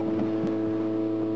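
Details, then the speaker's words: Electric conversion of a pickup truck over 20 years old, running on batteries: steady low hum at one even pitch with no wavering or knocks, the brake vacuum pump running normally. "oh yeah that noise you might be able to pick up I'm not sure but there's a humming noise going on right now that's just the vacuum pump for the brakes"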